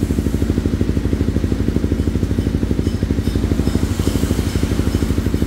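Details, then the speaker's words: Honda CBR250R 250cc single-cylinder with custom Kawasaki Ninja silencer slip-on fitted: evenly spaced thumps about three per second, coarse but regular single-cylinder idle; normal. "oke sudah nyala ya suaranya idolnya karena kapasitasnya 250 cc AG kasar karena satu silinder"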